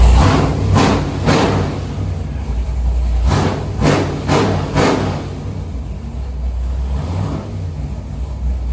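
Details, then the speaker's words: Freshly built 467 big-block Chevy on the dyno, warmed up, after carburetor screw adjustment: sharp rev blips rise and drop cleanly back to a steady idle; crisp throttle response, running healthy. "t better uh throttle response than doing it here and just show you how crisp this engine is I mean it's like real throttle response and really really nice"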